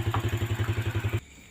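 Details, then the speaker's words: Yamaha Vega motorcycle, reassembled after a rough engine and oil blowing out of the breather hose into the air filter: an even, steady putt-putt with no knocks or rattles, then it cuts off; smooth idle with no oil leak. "Suara mesinnya terdengar halus. Bersyukur."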